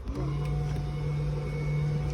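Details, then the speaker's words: Bilge blower on a Shamrock center console boat, switched on to clear fumes before starting; smooth, constant low hum from the fan motor with no rattles or wavering, running normally. "Okay, the blowers are on. Yeah. The fan is on."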